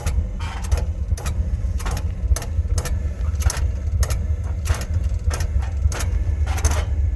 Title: Oil burner clicking noise